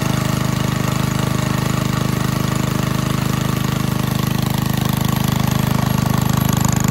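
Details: 1951 Briggs & Stratton 6B-SF 1.75 HP single-cylinder gasoline engine, cold start at about 30°F on choke, after relocating governor spring one hole: even putter at settled moderate speed, no misses or surging; owner estimates at least 500 rpm drop, running smoothly.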